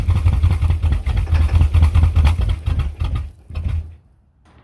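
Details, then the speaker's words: 1979 Ford F250, idle 25 years with water damage, running about 12 seconds on starting fluid; loud uneven low knocking about twice a second before it dies, suspected starting-fluid detonation, with carburetor problems also suspected. "But did you hear it was knocking like crazy? I think that was the starting fluid detonating."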